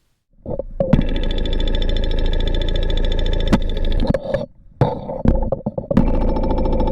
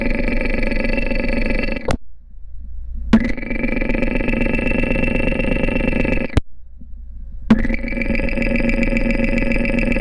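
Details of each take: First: Porsche 944 four-cylinder running, heard up close with a stethoscope: fast, even fuel injector ticking over steady engine hum, no significant volume variance across injectors, cleaned and serviced about 18 months earlier; normal injector sound. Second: Porsche 944 idling, heard up close over the camshaft housing: fast, light valve train ticking clatter, worse over recent miles; lifter number two seems loudest, owner suspects a partially clogged hydraulic lifter, possibly from oil sludge.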